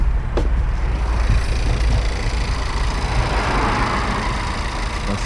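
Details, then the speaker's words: Volkswagen Golf GTE plug-in hybrid after replacing the high-pressure fuel pump, listened to under the hood: a steady, even idle with no knock or rattle. The intermittent rattle is absent for now, but whether the pump was the fix is unconfirmed. "the noise was from listening from under the hood is very good meaning it's not there"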